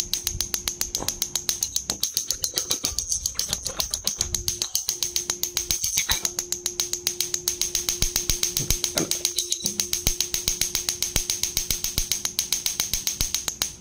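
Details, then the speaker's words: Gas stove auto-ignition spark module, bench-tested on battery power with a wire on one output terminal: crisp, even ticking at roughly two and a half clicks a second with a thin high hiss; module firing normally. Only for short-term use, as long running may damage it. "please uh listen to The Tick Tick sound which is coming from this module please listen more careful on it"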